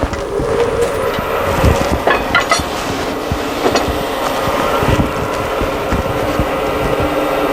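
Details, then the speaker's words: Wood lathe turning a platter with a carbide cutter cleaning outside and inside; irregular chattering ticks as the carbide hits mineral inclusions in the wood, remedied by taking light cuts. "you hear that chattering, that's the minerals. So you just take light cuts, that's hitting the carbide."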